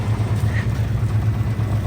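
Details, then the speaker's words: 1989 Chevy K1500 V8 that sat about two months, first start seen: rough idle with a quick regular tick and a duller knock every few beats; strange engine noise, cause still to be diagnosed. "a little bit of a tick tick a knock knock but definitely cool man"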